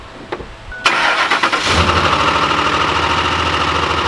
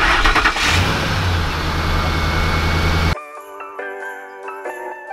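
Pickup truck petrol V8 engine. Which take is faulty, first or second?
first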